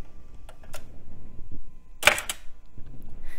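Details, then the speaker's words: Zip drive on retro laptop ejecting disk after copying files: single sharp mechanical clack with quick rattle in a quiet room; normal, violent spring-loaded eject. "this is funny watch how violently these things eject discs"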